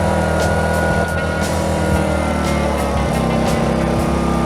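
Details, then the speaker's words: Petrol inverter generator for home use, connected to the apartment's wiring with the power output switched on: the steady drone shifts to a slightly different tone as it starts producing current, running normally under load. "ви почули, що генератор почав працювати якось з іншим звуком. Це і є те, що він виробляє електрострум."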